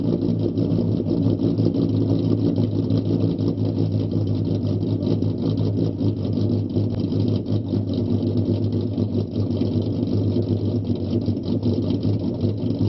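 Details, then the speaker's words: Startup test of a 4.0 V6 Mustang with idle raised from 675 to 725 rpm, since 675 dipped to 620; low, slightly uneven idle with a mild rhythmic lope from a deliberate ghost cam tune, not a fault. "test number two the idle is now changed from 675 to 725 do a startup test and then we're gonna do a road test"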